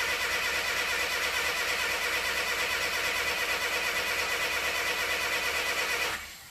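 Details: 1962 Mercedes-Benz 180c Ponton (W120), first start attempt after spark confirmed and the fuel pump checked (earlier no fuel at carb inlet): steady starter whirring about three turns a second for six seconds, no firing; cranks but won't start, cause unconfirmed.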